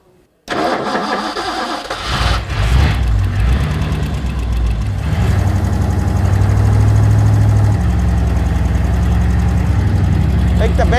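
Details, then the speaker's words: 1964 Ford Galaxie 500 XL V8 cranks and runs with a lumpy idle and won't hold idle. Spraying flammable liquid at the carburetor's back corner traced a vacuum leak: an intake manifold vacuum hose plugged only with a bolt. "engine wouldn't idle every time I sprayed the back corner of the carburetor it would stay running and eventually we realized there was a vacuum hose connected to the intake manifold with a bolt in the end of it so that was allowing air into"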